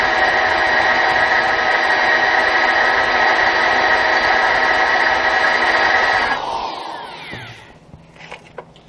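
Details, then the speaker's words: Drilling metal with GoPro picking up vibration: loud, even, high-pitched rattling cut like a jackhammer, spinning down as the bit leaves the work; drill bit chattering. "and all right it's probably sound like a jackhammer"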